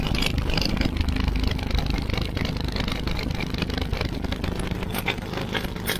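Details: Husqvarna YTH24V48 twin-cylinder riding mower on choke, running on one cylinder because one spark plug is missing from its hole; uneven loping putter with sharp pops; vacuum line to fuel pump also cracked.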